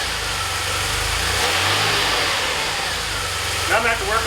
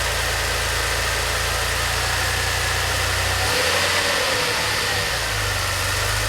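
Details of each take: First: DeLorean, just started after priming fuel pump: petrol idle surges up and down unevenly; idle hunting, owner suspects the idle control valve. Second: DeLorean, manual, warm idle after fuel/lambda/idle troubleshooting and idle control valve replacement: steady, even idle, smooth low drone, no knocks, misses or hunting; runs cleanly.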